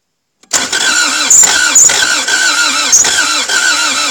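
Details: Toyota MR2 AW11 after cleaning the injectors and fuel rail and checking the distributor, battery charged between attempts: the starter turns the engine over evenly at about two pulses a second but it never catches. Cranks without starting; cause suspected, not confirmed.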